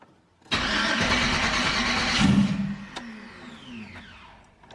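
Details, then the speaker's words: Trailblazer SS on Holley ECU after startup wizard, Holley controlling fuel pump, running on internal MAP sensor with no boost, low on oil: about two seconds of cranking, then it catches and runs briefly before quick shut-off; clean normal start. "It does run. I'm going to call that a runner. So that is awesome."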